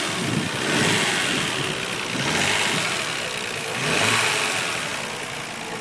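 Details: Nissan RB26DETT revving with a rough, uneven clatter through rising and falling revs; the owner suspects a spun bearing, source unconfirmed.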